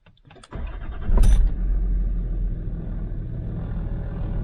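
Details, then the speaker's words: Land Rover Discovery 3/4 TDV6 diesel cold-weather start; glow plugs cycle first. A brief quick crank catches within about a second and settles to a steady, even idle. Cranking builds oil pressure as fast as idle would. Normal cold start. "what we can see here now is the red line is the engine rpm during ranking you can see that the starter motor of the tdv6 and if the battery is good is actually able to deliver the oil pressure just as quick as if the engine would be turning it in idle"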